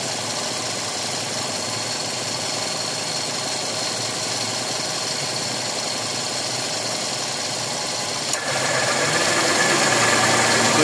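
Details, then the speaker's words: Toyota Vios Gen 4 AC compressor: quiet when disengaged, but on clutch engagement a louder rough whir joins the idle hum. Roughness inside the compressor points to a worn internal bearing; needs a new compressor, system flushing and a new dryer. "Maingay talaga compressor. Ayan oh. Naka-disengage ang compressor niyan. Tahimik. Pero pag umandar ang compressor, tingnan mo doun yung gaspang nung loob ng compressor e."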